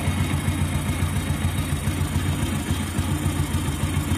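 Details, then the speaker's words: Motorcycle engine at idle: light, fast rattle from the top end over the engine beat; head, camshaft and rocker arms are fine, the cam chain tensioner is at fault and needs replacing. "அப்போ இந்த வண்டியில் head, noise, game shaft, ரேக்கராம் எல்லாமே நல்லா தான் இருக்குது. டென்ஷன் தான் பிரச்சனையாக இருக்குது."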